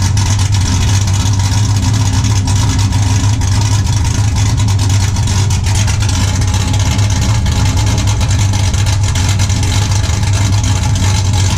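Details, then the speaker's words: 5.3 LS-swapped 1991 Z28 Camaro, TSP cam, Holley Sniper EFI, muffler deleted to 3-inch straight two-into-one dump before rear axle: loud, deep, steady rumble with slightly choppy beat at idle; healthy cammed V8. "uh anyways guys i don't really think it sounds all that great uh it's been an idol sounds pretty good but it's got i mean it definitely sounds like a 5'3 now"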